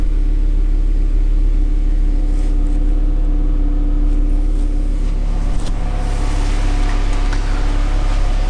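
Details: 2009 VW Jetta after its rusted exhaust was replaced with a newly welded-in system, started up to check for leaks: smooth, steady low idle hum with no puffing, ticking or rasp from an exhaust leak; engine and new exhaust sound healthy.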